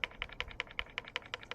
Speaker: doesn't rattle up here but if I wiggle it here go all the up here it's rattles and when I when I rattle it it just keeps rattling